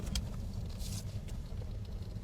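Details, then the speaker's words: Land Rover on the road after repair of a right-side clunk over bumps, caused by a reversed upper-arm bushing: steady low tire and road rumble with no clunks; the noise is gone. "没了吗？肯定没了，就那上臂。"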